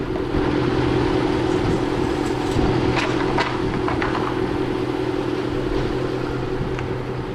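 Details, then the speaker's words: 2003 Dodge Ram Hemi V8, warm after driving, son reported odd running and transmission slipping: even steady low rumble at idle with no knocks, misses or ticks; normal warm idle. "so you can hear the truck is idling normal man it sounds really good so I'm not worried about that"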